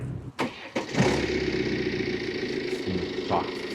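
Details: BMW F07 5GT after replacing torn, punctured air filter rubber bushings with genuine parts, which were causing engine noise from vibration; brief crank catches quickly into a smooth steady idle with no rattle or hiss; normal start and idle.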